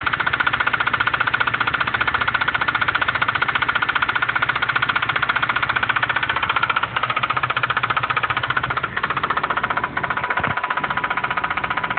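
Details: 2006 Acura RSX Type S, 135,000 miles, idling: loud, rapid, very regular knocking from the top of the engine under the valve cover; owner unsure of cause.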